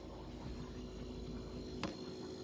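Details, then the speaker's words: Kenmore refrigerator (bought October 2017) after replacing the circuit card in its bad, obsolete compressor inverter box. Before the repair the fan ran but the compressor wouldn't start. Low steady hum with a soft fan whoosh: compressor and fan both running normally. "Going to keep it running. Yeah, I can feel the compressor's running. All right, is the fan."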